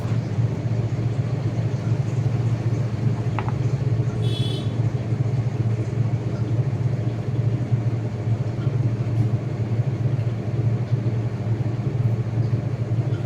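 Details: IFB 8.5 kg top-load washing machine on spin after repair: steady, even low hum with no knocking or scraping; running completely normal.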